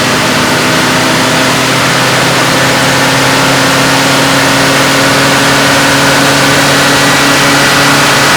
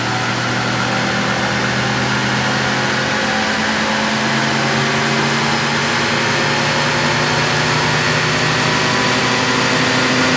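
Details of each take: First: Stock 1966 AMC Rambler American, 199 cubic inch straight six, on a chassis dyno at full throttle to about 4,000 rpm and roughly 100 mph; steady, even drone pulling smoothly without knocks or misses, making 65.97 hp at 3,800 rpm: normal full-throttle run. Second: 1966 AMC Rambler American with stock 199 cu in straight six, in a dyno pull: steady hard-pulling roar, then a thin squeal rises near the end of the run; not belt slip, source never identified.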